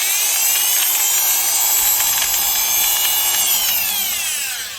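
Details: Milwaukee Magnum Hole Shooter #0300 drill: a high gear whine with a rough, gritty edge as the motor spins down. The gearbox came loose or was treated harshly, and broken alignment pins let the gears misalign. The screw holes are stripped.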